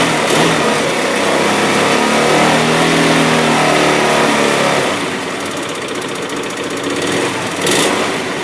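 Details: 2007 Hyosung GT250R idling after a highway ride: light, fast top-end ticking over steady idle, present only at idle and low rpm, fading above about 4000 rpm; owner suspects valve adjustment or cam chain tension, unconfirmed.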